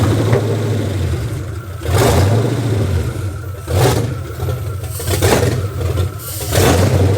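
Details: 2004 Dodge Ram Rumble Bee, freshly swapped 6.1 HEMI V8 from 2006 SRT Charger, first start: deep rumble surging and dropping unevenly, hunting; rough idle, suspected air leak from an unplugged port on the intake.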